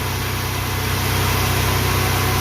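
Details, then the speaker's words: 1996 Toyota 4Runner with the 3.4 V6, started after sitting unstarted for two years: smooth, even idle with a steady low beat and no knocks or misses; running fine. "see she's running or he's running because it's I call that a guy it's a Yoda heart"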